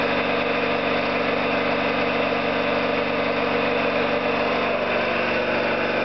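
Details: Orlík 2 JSK 75-2 compressor, one of the first starts after a full overhaul, motor temporarily started in star due to household breaker; steady even chuffing about 3.5 beats per second, no knocks, running normally.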